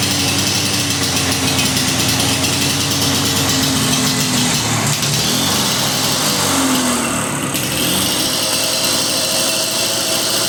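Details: Lawn-Boy DuraForce two-stroke mower after reinstalling a carburetor rebuilt from spare parts: a loud, steady high-pitched buzz that holds speed without surging or cutting out. It runs normally.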